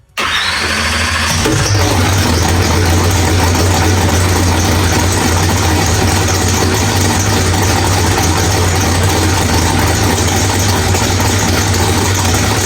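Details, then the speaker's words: Drag car V8 with Powerglide, first start after fixing flex plate bolts that backed out: new ATI flex plate and Circle D stator fitted. It cranks, catches within a second and settles into a steady, even idle with no rattle: normal idle. "All right, guys. Well, everything sounds really good."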